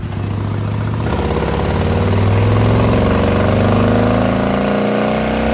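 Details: Custom 2020 Harley-Davidson Road Glide, 130-inch T-Man Performance Stage 4, warmed up, on the dyno. The pull is smooth and even, pitch climbing cleanly with no misses or knocks. Result is 155 ft-lb of torque and almost 153 hp, 140 ft-lb at 2600 rpm. Healthy engine under load.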